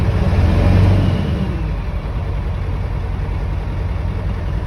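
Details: Ford 7.3 Power Stroke diesel truck, cold start after sitting about 2 weeks, key cycled to heat glow plugs; catches with a brief rise in revs, then a steady, even rumble at idle with no stumbling; normal cold idle.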